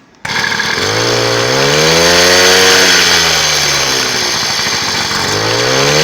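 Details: WMX motorized bicycle two-stroke whose engine had been loose underneath, now held in place after refitting the belt: starts at once, smooth buzz rising and falling with throttle, no knocks or rattles; normal running after fix.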